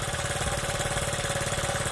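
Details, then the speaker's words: Honda Z50, first start on the bike after replacing the carburetor and fitting a new spark plug. It gives a quick, even putter with no misses or knocks and idles cleanly and steadily. "so when I put this new one on here, boy, that thing runs good, huh?"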